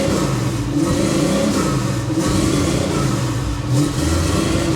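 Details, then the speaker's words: 1977 Chevrolet Monte Carlo, possibly not fully warm, won't idle well: engine revs unevenly, stuttering as if ignition cuts out; ignition timing far off, owner also suspects too much fuel. "I don't know if you can hear it or not how it stutters when you rev It Up"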